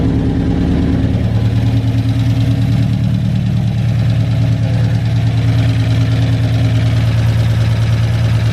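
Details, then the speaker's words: Big-cam GM 5.3 V8 in a truck, first start after swap, warm: lumpy uneven idle with low pulse about three per second, only four cylinders firing because the DOD (cylinder deactivation) valley connector was unplugged; to be plugged back in. "Yeah, it's only running at 4. So we're gonna plug that back in, see if we can get to fire on all 8."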